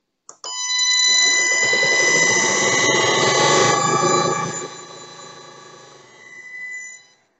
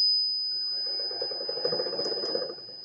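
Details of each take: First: Motor driven by a frequency inverter with the switching frequency set to 1 kHz gives a loud, steady metallic whistle with stacked high tones over the running motor; raising the switching frequency moves the noise beyond hearing. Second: Motor driven by a frequency inverter with switching frequency set to 5: thin steady high whistle over quiet motor hum, no metallic rasp; slight noise considered normal.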